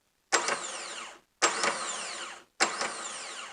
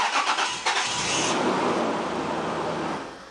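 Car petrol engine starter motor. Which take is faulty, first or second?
second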